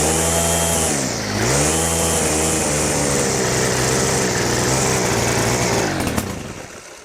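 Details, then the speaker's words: Stihl FS100 brushcutter, 4-Mix four-stroke run on oil-mixed fuel, started cold on fresh fuel, at wide-open throttle with choke off: revs sag and surge, it splutters and dies. Fuel starvation or the air filter suspected; found a slack throttle cable and excessive valve clearance. "So that was wide open throttle with the choke off, and you could see it was spluttering, dying. Makes me wonder about a couple of things."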